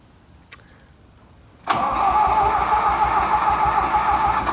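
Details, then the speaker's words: John Deere 2010 tractor after fitting a new 12-volt coil: starter cranks the engine steadily at about three turns a second but it never fires; timing light still shows no spark, distributor or condenser now suspected. Crank, no start. "Okay, yeah. We still have no spark. Interesting."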